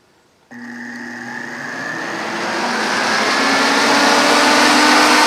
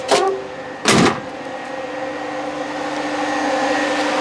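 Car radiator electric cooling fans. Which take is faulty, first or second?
second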